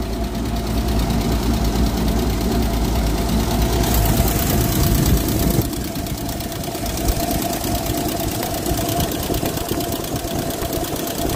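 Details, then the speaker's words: 1946 Power Wagon flathead engine after carburetor repair: rough, lumpy idle with steady light ticking about three per second; valve/lifter at the back possibly not reseated properly and needs tightening. "yeah that valve needs to be tightened up the way back too we tried taking them out and I thought I got them in back in place but might not"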